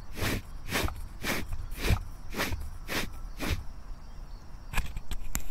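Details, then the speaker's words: Diamond wire saw guide wheel from China with under ten hours of use, spun by hand with the mic held close: a rough, gritty rush about twice a second from failed bearings; the bearing had also spun on the shaft. "In my last video I mentioned how I got these wheels from China and that this one is pretty loud. The bearings are gone in it."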